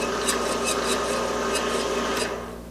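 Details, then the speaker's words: 4x6 inch import horizontal bandsaw during tune-up before tracking adjustment: steady raspy hiss with light scrape about four times a second, fading as it winds down; blade riding the square ledge on the back of the wheel. "these wheels have a square ledge on the back and all that does is stop the blade from falling off the backside that's that's what's making the noise"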